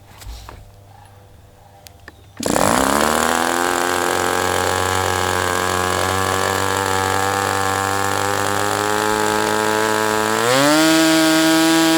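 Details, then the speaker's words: Sport 40 model airplane glow engine during break-in run: catches at once into a steady high-pitched buzz, holds evenly, picks up speed near the end; running really well. "All I know is it's running really well things like at times."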